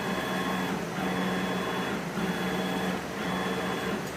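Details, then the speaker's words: CNC machine Z-axis ball screw after realigning nut, previously rough at about 200 in/min: even motor hum and smooth travel with no rasp or rumble; likely tilted ball screw fixed, now running freely. "Okay, that sounds pretty good. So we're now gonna tighten all the bolts are fully tightened, and sounds good."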